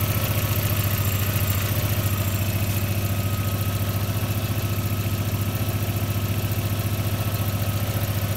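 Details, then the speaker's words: Audi A3 (about 430,000 on odometer) with a knock traced to an untightened flywheel and loose bolts from a previous rebuild, after fixing: smooth, even idle with regular pulses and no knock; normal idle. "давай сейчас попробуем заведи послушай штука никакого нет"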